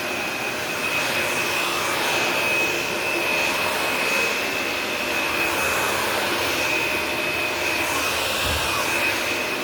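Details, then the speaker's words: Shark Navigator upright vacuum on carpet: steady even roar with clean high motor whine, no surging or rattles; normal vacuum running. "Boy, that sounds like it's brand new out of the box, ladies and gentlemen, huh?"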